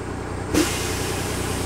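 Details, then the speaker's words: Skoolie bus air brake system at idle after replacing D2 governor, R12 relay valve and pressure protection valve: steady diesel idle, then sharp air burst and hiss as it unloads near 130 psi; normal governor cut-out. "and there it is so basically at idle we climbed all the way up to the unloading pressure meaning that we now will pass uh dot inspection for brakes"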